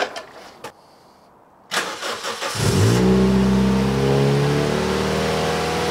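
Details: Toyota Yaris 1.5L 1NZ-FE with Scion xD fuel pump assembly, 2ZZ spark plugs and 1ZZ throttle body, after reseating a loose throttle position sensor plug: cranks, catches and revs cleanly, holding high revs unloaded without cutting out.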